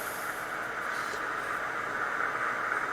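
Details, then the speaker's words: Early plain Yaesu FT-101 transceiver, donated and untested, in AM mode on 20 meters with the volume up: a steady, even static hiss with no hum or crackle, so the receiver is alive, though the S-meter is not yet moving. "and we have static that's a good thing"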